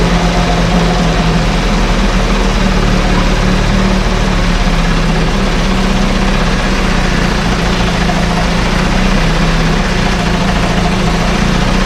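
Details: 1968 Evinrude Fastwin outboard, run in a test tank with no work done; smooth, even two-stroke idle with steady low burble, no misses or knocks; normal idle.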